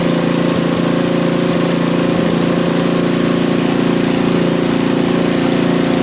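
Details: Small lab engine after mechanical governor dynamic adjustment, idle set near 2000 rpm: steady even high-speed drone without hunting or surging; top no-load speed rechecked with vibration tachometer just above 3400 rpm, governor holding.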